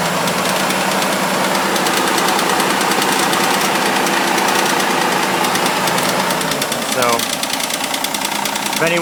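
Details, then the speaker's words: Mitsubishi Eclipse just after a cold start, in the garage: a quick light top-end tick about three per second over the idle that follows the revs and sometimes goes away; owner suspects lifter or hydraulic tensioner, unconfirmed. "anyone could help me figure out what is making that annoying clank. Like I said, it goes away sometimes, but thanks in advance."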